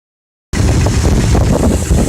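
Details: Ford 5.4 4V V8 idling with a steady, heavy bottom-end knock at firing rhythm over the exhaust rumble, persisting after replacing timing chains, guides, gears, tensioners, 3V oil pump and Cobra pickup; owner suspects a spun rod bearing.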